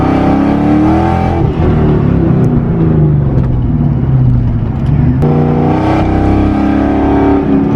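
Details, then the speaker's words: Boosted Mustang GT, cruising fine but misfiring at a little over half to full throttle; while driving, the drone under part throttle wavers and briefly stumbles with a sharp pop, cutting out under load. "So about around a little bit more than half throttle, it cuts out."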